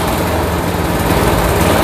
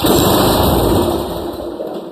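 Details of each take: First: Old Craftsman walk-behind trimmer with Briggs & Stratton Quantum engine, after carburetor cleaning and drive cable replacement, throttle working: steady, lively drone with an even beat and no misses or surging under drive; normal running. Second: Long-stored Craftsman walk-behind trimmer, Briggs & Stratton Quantum engine with good spark, primed with brake cleaner: a brief burst of firing that dies within two seconds. Fuel starvation from a plugged carburetor and stale gas.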